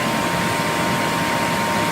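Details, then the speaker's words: Pool heater blower fan after fan-lock error, loosened by hand as a temporary fix (rust from condensation suspected): steady airy rush with constant high whine, no scraping; fan now spins freely and starts on its own. "it's spinning so freely right now it will spin it will start up on its own if it has even just a little resistance it won't"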